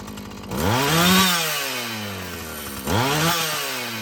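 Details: Husqvarna 445 chainsaw after cleaning and tune-up: two crisp rev-ups climb cleanly and fall back to a smooth idle without bogging; it runs well, though the carburetor may need more adjusting as its diaphragm loosens.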